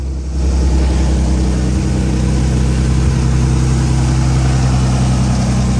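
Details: Nissan 300ZX Z32 Fairlady cold start before its first test drive, after centre bearing repair and a new custom exhaust; catches quickly and settles into a steady deep idle with an even exhaust beat, no misses or knocks, running healthily.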